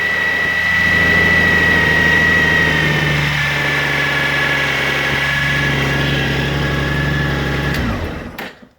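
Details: 2002 Honda Goldwing GL1800, about 111,000 miles, normal startup and idle: smooth even idle with a faint steady high whine from the timing chain, not the alternator drive gear, unchanged over 20,000 miles; clean shutdown.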